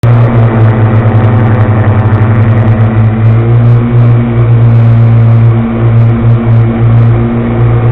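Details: Loud, steady low drone with a coarse, pulsing rumble; suspected bad bearings (250), not confirmed.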